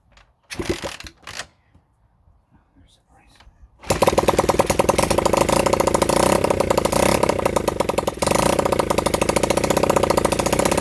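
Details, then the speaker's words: Honda CB100N single, first start in over 20 years, on a flat battery: after quiet handling it catches and runs on with a steady, rapid beat; it keeps running fine. "Okay, I don't know why I've never revved up something chronic, but it's a runner."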